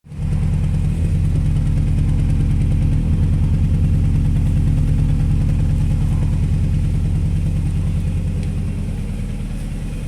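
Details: Fiat Panda idling lumpy and uneven with a stumbling beat about three per second that never smooths out; engine misfire.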